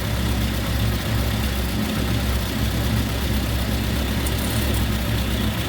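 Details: 1954 Ford Popular 103E: low, fairly even idle that cuts out abruptly. Fuel bowl had fuel and spark was present; voltage at the coil jumps around; it restarts only after cooling. Cause unclear.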